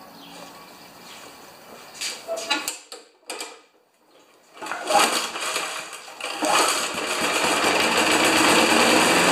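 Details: 1992 Wedgefield mower with Briggs & Stratton Classic engine, after oil change, blade balancing and three primer pumps: pull start, then quick, even small-engine putter that settles steady; normal running.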